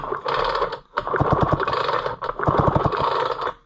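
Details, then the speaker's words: Homelite Super XL chainsaw bought at auction, with a newer spark plug, on pull-starting: two quick pulls, each a fast run of firm, even chuffs, showing good compression; possible carburetor issues are still suspected. "sounds good though I mean sounds like it's got compression let's try this and see what it does"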